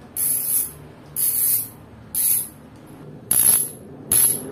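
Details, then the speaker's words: Fastace 3-pawl wire-spring "cricket" rear bicycle hub, stock un-upgraded sound, coasting: five short bursts of quick crisp even clicking with quiet between; healthy stock freewheel ratchet. "nah ini suara asli dari Hah pasti Hai jadi ini belum diupgrade suara aslinya seperti ini"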